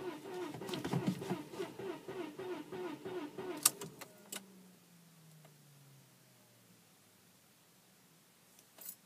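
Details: 1998 Audi A4 B5 2.8 V6, dead after one rainy day parked on street: a few seconds of rhythmic starter churning, about three beats a second, never catches; crank, no start.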